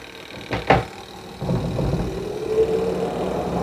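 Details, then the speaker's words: Aqua washing machine spin dryer after repair: handling knocks, then the motor spins up to a smooth steady hum, now turning normally; it had not spun because the motor brake cord had snapped and was replaced, and rodents had chewed many wires. "Kita cek. Nah, dia udah memutar ya."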